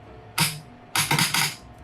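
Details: 8-relay board firing solenoids after earlier failures (three found dead): sharp metallic clacks, one single then a quick double burst, crisp and clean; this solenoid is firing properly.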